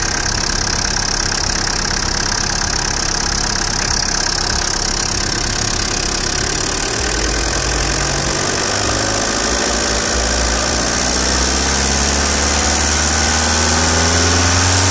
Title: Tata Indigo CS, Dsl, 2008, RJ02, Engine noise.